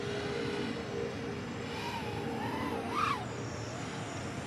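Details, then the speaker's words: Diatone GT-R349 3-inch micro racer drone flying on 4S 550 battery with stock PIDs: rough warbling motor whine wobbling in pitch, oscillations; PIDs too high, motors may burn, needs lower gains. "yeah this tune is not good either yeah you can hear the oscillations all I'm this is probably going to burn the motors so I'm going to have to land this and lower these pids they're too"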